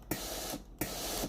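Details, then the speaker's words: Philips GC9315 steam iron after replacing the water valve coil that caused no steam: two sharp clicks about 0.7 seconds apart, each followed by a short hiss of steam, matching each steam-button press; valve working normally. "ดังแต๊กแต๊ก๊กนะครับตามจังหวะนิ้วมือที่เรากดนะครับถ้าเรากดปุ่มจ่ายน้ำนะครับถี่ๆนะครับเสียงวาล์วก็จะดังถี่ๆนะครับตามจังหวะมือที่เรากดนะครับ"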